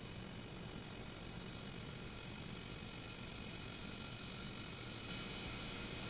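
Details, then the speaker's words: Early 2006 37-inch Polaroid LCD TV switched on from standby: loud, steady high-pitched screech from its switch-mode power supply board, caused by failing Capxon capacitors. Picture shows, then is lost. "so what's happening with this tv that makes it sound like the gates of hell have opened up inside of it well it's actually pretty simple"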